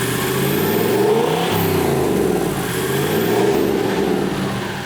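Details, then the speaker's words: Turbocharged FJ49 build, passed engineering test: zero drone at idle, deep even exhaust note swells and falls with revs, faint turbo whistle on top; healthy, no rattle. "So, on idle, I don't know how you're going to pick the audio up through this, but on idle, there's zero drone, none. Like it actually sounds kind of normal, but then when you give it, the thing sounds mental. You can hear the turbo spoo"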